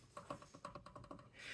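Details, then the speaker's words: Bentley Mulsanne S front wheel rocked by hand, giving quick light knocks about seven a second from play. The owner suspects a wheel bearing, a loose wheel or a ball joint, not yet confirmed; the other front wheel is similar but less. "now is that wheel bearings or is this wheel not tight or is it um maybe a ball joint or something like that but that's what we're going to find out"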